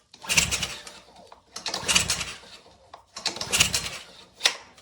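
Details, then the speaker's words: Ryobi pressure washer engine, fresh fuel, kill switch and fuel on, choke pulled: four rasping recoil pulls about a second each, never catching or firing; no compression, later traced to a seized valve. "Not looking like it. Maybe with the choke off. No signs of life whatsoever."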